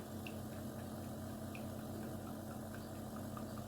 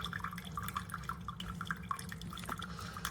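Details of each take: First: Chefman single-serve K-cup coffee maker with 40oz reservoir; soft pump hum and trickling water runs about seven seconds then cuts out abruptly with water still in reservoir; brew cycle stopping early. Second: Chefman single-serve K-Cup coffee maker brewing: soft, irregular drips into the cup over a faint low hum; quieter than a Mr. Coffee; normal brewing.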